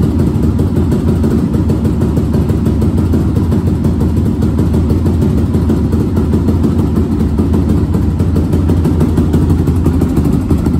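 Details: 2002 Yamaha Raptor 660 single that sat over 1.5 years without starting: steady even idle thump, no misses, knocks or hunting; running normally.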